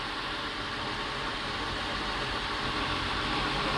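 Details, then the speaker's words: 1999 Honda Accord V6 (J30A1), stone cold, with new belt and head gasket done about a year and a half ago: steady, even idle with no ticking or knocking; clean and healthy. "No ticking, no knocking. The belt has been replaced. Head gasket was done a year or a half ago. Water pump idle's perfect."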